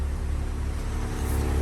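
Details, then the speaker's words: BMW M135i after an engine rebuild, revs settled down from the cold start, no dashboard warning lights, fuel low: a deep, smooth, even idle rumble with no stumble or tick; idling perfectly. "there's no lights in the dashboard no injury management nothing like that obviously there's a bit of fuel in the car it's a bit low the car is idling perfectly"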